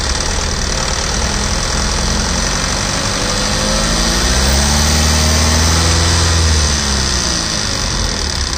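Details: Tata Safari LX diesel: steady clatter at idle, then a brief rev that settles. An unusual engine noise whose cause is not identified.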